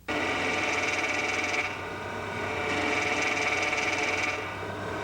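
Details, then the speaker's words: GM HPS hydraulic power steering with the wheel forced to full lock: a moan followed by a steady high whistle over a hissing rush as the relief valve opens; normal relief noise, though harmful to the pump if held long at high rpm. "O alívio de pressão é um ruído inerente ao sistema que corresponde ao gemido seguido do assobio, intensificado em função da ação da válvula de alívio aberta quando o volante é forçado em final de curso."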